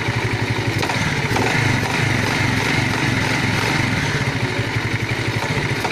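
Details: Alfa small single idling with a loose, uneven knock on each beat, about three a second; engine knock of unknown origin.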